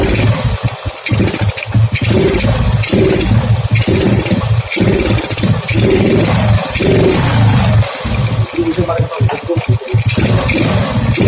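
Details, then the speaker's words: Honda Grand motorcycle with a hard-start, stuttering problem and black, fouled spark plug: idle stutters with repeated brief dropouts; spark is leaking at an aftermarket-bought original spark plug cap, seen in the dark, causing the misfire. "Ini cop busi sebenarnya original tapi beli, bukan bawaan motor ya, karena motor udah tua nggak mungkin lah kalau belum diganti ya. Masalahnya di sini."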